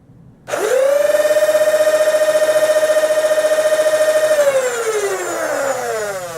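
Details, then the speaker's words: Rebuilt Rapid Red foam blaster after soldering, flywheel motors on 2s: motors spin up fast to a clean, steady high hum, hold evenly about three seconds, then wind down smoothly; running normally. "humming quite nicely now"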